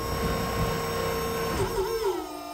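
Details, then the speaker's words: Volvo electric power steering pump (2004-2013 S40/V50/C30/C70 unit) on a 1965 Mustang, wheel turned to full lock: the steady electric whine wavers and dips in pitch under load. The pump still sounds normal. "lock well there you have it there is a Volvo electric power steering pump and a 65 Mustang"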